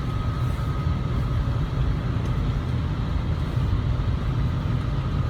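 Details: 2002 Lexus RX300, 1MZ-FE: thin steady high whine above road rumble while driving; power steering and wheel bearing were suspected. It went away after draining the ATF, replacing the filter and refilling with Toyota T-IV and Valvoline synthetic ATF.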